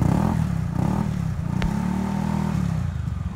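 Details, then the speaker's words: Honda Beat scooter with a rough noise from the CVT, after opening the CVT block and checking and tightening all bolts: steady low drone with slight patter, no grinding or rough rumble; smooth CVT running. "apa pokoknya bebas ya nah ini sudah halus ya"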